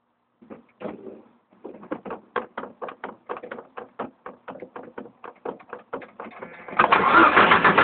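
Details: Jeep Cherokee that won't start after a crank sensor replacement, with brake, oil and battery warning lights on: steady cranking at about four even beats a second for six seconds, never catching; cranks, won't start.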